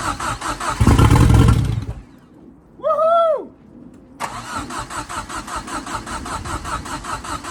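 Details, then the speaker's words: Fiesta RS Turbo, filter off, Easy Start sprayed: starter churns in uneven chugs, pauses, cranks again without catching; crank no-start, owner thinks fuel is only just being pulled through. "okay so what it seems just pulling a fuel through now let's get some more easy start on your"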